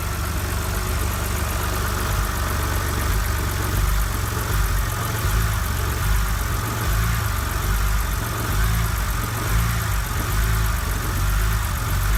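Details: BMW 130i petrol, cold start: uneven idle wavering about once a second for the first 10–30 seconds, then smooth. Yellow check-engine light is on; owner suspects the lambda sensor.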